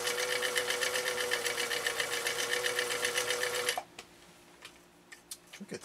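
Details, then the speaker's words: 1955 Husqvarna Viking Type 21 Class 20 sewing machine (1.5 amp), restored, sewing a three-point decorative stitch at very short stitch length, no music: quick even clatter about four stitches a second, steady until stopping near four seconds; normal running. "i'm gonna leave the music off this time so that you can really hear this machine kind of doing its thing doing its dance as we go through this material"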